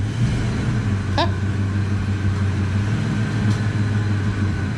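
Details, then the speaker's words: Foxbody Ford Mustang with AOD automatic, driven after sitting about 11–13 years in storage; low steady rumble while rolling, no clunks, slips or rev flare, AOD still functional. Normal driving. "but this one is actually still functional which is pretty crazy a lot of times they'll gum up it starts up right that is wild"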